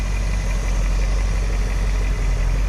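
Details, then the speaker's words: 1975 Dodge Holiday Rambler Class C motorhome, Dodge Sportsman chassis, V8, after sitting 20 years, at 180-190 degrees with 30 psi oil pressure: steady even rumble, no knocks; normal warm idle, power steering belt squealing. "got about 30 pounds of oil pressure at hot idle"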